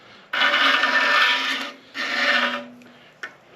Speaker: so I think you can hear that we are now cutting into the uh into the ridge